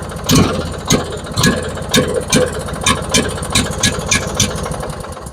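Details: Craftsman riding mower twin-cylinder engine after new ignition coil fitted for a no-start, on old fuel: catches and keeps running with a somewhat uneven, lumpy beat but stays lit; running again, fresh gas still needed.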